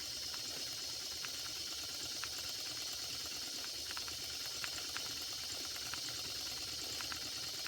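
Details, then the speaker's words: Circa-1946 electric-heated mini steam engine after repair (straightened axle, fixed flywheel wobble, replaced retaining clip), near 200 degrees: steady steam hiss with light irregular ticking, speeding up as temperature rises; normal running. "look at that running beautifully and it's speeding up as you can hear as the temperature increases"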